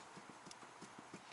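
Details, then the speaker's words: BA Falcon ute/wagon solid rear axle, driver's side wheel raised and rocked by hand with handbrake off; light dull clunks about six a second show a small amount of play that should be zero: worn rear axle wheel bearing. "You can hear that knock. So that's not a lot of play, but it should be zero play."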